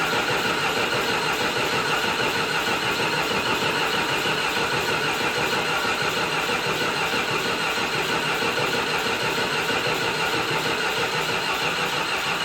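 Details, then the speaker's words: John Deere 450C bulldozer diesel, sat six months, neutral safety switch jumped: steady starter cranking at about 150 turns a minute that never catches; crank no start. "Now let's try it one more time. All right, something is not right."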